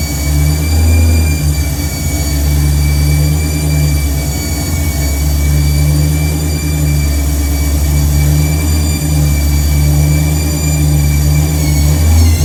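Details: Truck V8 with newly installed Megasquirt ECU, first cold start: steady high-pitched whine over rough, uneven idle; source unknown, owner will remove accessory and water pump belts to test, else suspects transmission.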